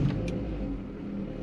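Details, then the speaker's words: 2008 Vauxhall Corsa 1.2 petrol, Life model, before any repairs: quick catch settling straight into a smooth steady idle, starts cleanly cold or hot; service and electrical fault light on. "it starts really on the button it's really good at starting cold or hot no problems at all with that"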